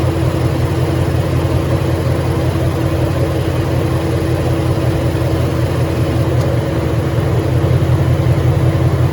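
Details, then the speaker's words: 2013 Ford Mustang GT 5.0 Coyote, manual, 81,500 miles: idle with regular dull bottom-end knock under exhaust rumble, worse after driving, began 2–3 months ago, car also stalls after long drives; owner suspects rod knock or crankshaft. "So yeah, let me know what you guys think about that rot knock noise. It's something new that's just been going on for the past 2-3 months."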